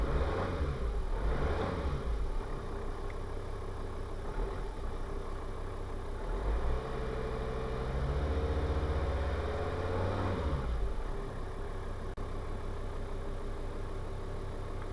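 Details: Volvo V50 D5 SE, Euro 4 2.4 L five-cylinder diesel with DPF, during EGR valve repair (limp mode, codes 4450, 44D0): steady idle rises smoothly on a throttle blip and settles cleanly, no knocks or hunting; engine runs healthy.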